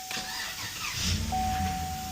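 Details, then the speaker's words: Chevy Tahoe with code P0128, erratic temperature sensor reading, fan stayed on with car off; after fix and cleared code: starter cranks briefly, engine settles into steady even idle, fan not spinning; healthy start. "Start it up. Fan not spinning as yet. The fan is not spinning as yet. The fan's not spinning as yet."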